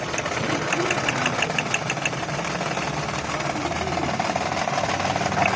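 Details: 2011 Toyota Vitz after the cylinder 3 misfire (P0303) fix, with the injector pulse wires reconnected correctly. Light ticking over a steady, mid-pitched idle with no stumbles or missed beats; the engine idles evenly.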